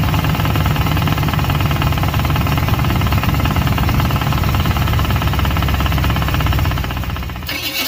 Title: Ticking Noise - TC or Flexplate - Torque Converter Bolted vs. Torque Converter Unbolted